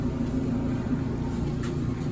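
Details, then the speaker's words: GE front-load dryer that vibrated badly, after a temporary fix doubling up felt pending a kit: only a low, even drum rumble with no thumping or scraping; normal running. "seems to be in a lot better shape now but that's what it sounds like it's probably is"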